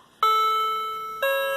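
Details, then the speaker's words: Second clock, cheap Chinese quartz mechanism with electronic chimes: Westminster chime triggered by button through a small speaker; two clean electronic bell tones a second apart, ringing and fading smoothly. Normal electronic chime. "and this is the little speaker that makes this sound foreign"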